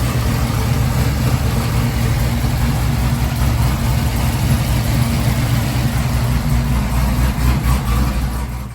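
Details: 2017 Chevrolet Camaro ZL1 supercharged LT4 V8 on a quick start-up after refitting a damaged supercharger belt: steady deep idle with even low rumble and no squeal, slap or chirp; nothing shredded, normal idle.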